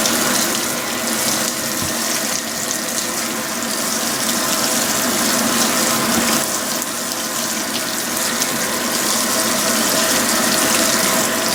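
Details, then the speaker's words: Restored Fisher & Paykel washer on a heavy-duty cycle, warm water, high level, with a large normal load: steady rushing hiss of water filling the tub with a faint pump hum and no knocks or grinding. "so i changed the temperature to warm cold seem to be putting in a lot of hot water"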